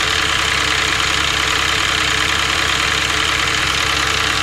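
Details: CAT 313D2 excavator diesel during overheating diagnosis, radiator showing no bubbles so head gasket deemed fine: loud, steady idle with even clatter, no misses or surging; normal idle.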